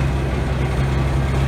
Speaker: what it sounds like with a big exhaust leak and a muffler on it.